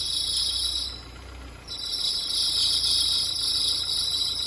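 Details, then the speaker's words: Renault Duster 2.0 16-valve F4R engine on a cold morning start: steady high-pitched chirping squeal over a quiet idle from the accessory belt; worn belt tensioner. "Aqui, turma, estamos com uma Duster e esse carro vem apresentando um barulho logo pela manhã, logo frio."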